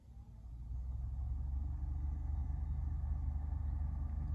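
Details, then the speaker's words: 2015 Nissan Versa Note cabin blower after removing a mouse nest, droppings and insulation from the blower housing; soft steady whoosh at low speeds with no rattle, somewhat loud at speed three but much better than before. "Three. I guess that's how it's supposed to sound. It sounds a little loud to me, but it's a lot better than it was."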